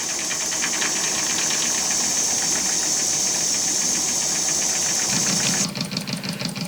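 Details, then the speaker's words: Homemade single-acting oscillating steam engine on a mini tool box, run slowly just after live-steam test: light even puffing about three beats a second, steady and unhurried; running sweetly at low speed. "I have the engine sitting on top of one of my mini tool boxes and uh just checking out how slowly it runs and giving you a last view of it"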